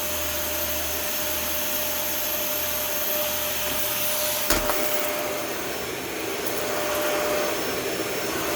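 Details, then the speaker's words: Dyson DC41 vacuum after cleaning hair from the brushroll: smooth, even motor whine with steady airflow rush, no rattle or grinding; running normally, much better than before. "That sounds a lot better."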